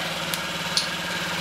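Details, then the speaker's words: 2015 Honda Ruckus scooter, revived after sitting a couple of years, ignition run on jumper wires: quiet, even low hum at a steady pace with a couple of light clicks on top; smooth normal idle. "Oh no, it works. It works. Listen to that little machine pick them off. Listen to that. Listen how quiet that is."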